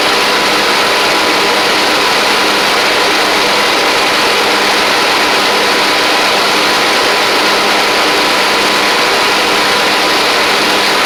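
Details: Troy-Bilt Pony riding mower with replacement engine and new head gasket, slight smoke at startup: even, buzzy small-engine run at constant speed with no misses or knocking.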